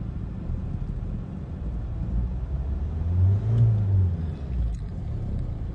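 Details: Renault Megane 1.5 dCi diesel after fitting a used replacement injector for faulty cylinder 3 and clearing fault codes. Steady low idle, slightly rough at first, then a clean blip that drops back smoothly; no fault codes return: normal idle.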